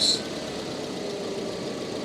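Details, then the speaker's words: Car engine jump-started with a portable jump starter, settling into a steady, even tick-over with no knocks, misses or rattles; voltage back down to 13 V, showing the voltage regulator works; normal idle. "and then let it tick over, it's back down to 13. So that shows the voltage regulator, and that is working on the car as well."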